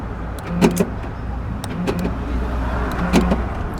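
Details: Central door locks after replacing a burned fuse: three sharp clunks about a second apart as the lock motors snap over cleanly. Locking works properly again; the fuse was the fault.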